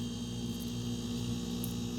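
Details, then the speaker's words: Refrigerator found on its side by the road, stood upright two days, relay, capacitor and overload relay swapped from a used unit; previously stopped after about 30 seconds: steady low hum, faint buzz, no clicking; normal compressor start. "that's a really good sound so let's see what happens after about 30 seconds in it just it just froze see if that happens or not"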